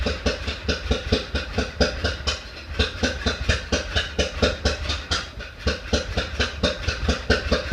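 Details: 1931 Ford Model A after 10+ years stored, weak battery, maybe flooded, timing fully advanced, in neutral; lumpy uneven chuffing about two beats a second with sharp pops back through carburetor, then dies; owner suspects sticking intake valve.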